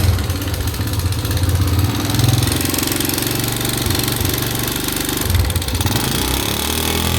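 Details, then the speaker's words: Honda GN5 after engine rebuild and cam chain replacement: coarse, uneven clatter over the single-cylinder idle and revs persists; worn rocker arm shaft bores in the head. "Ini keluhannya itu suara kasar. Waktu kemarin sudah lakukan penggantian pada bagian rantai keteng."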